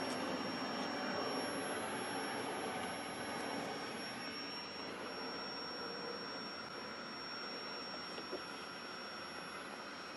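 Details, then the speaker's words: Admiral 20B1 tube television at first power-up after restoration work: constant thin high-pitched whine at one steady pitch over faint hiss, the horizontal oscillator running. "I think that's six search sounds like the horizontals running"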